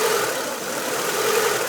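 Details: 1995 Honda Civic DX, warm idle: mid-pitched hum dips and swells unevenly instead of holding steady; surging idle, fixed by adjusting the cold fast idle valve seat to begin opening at 100°F.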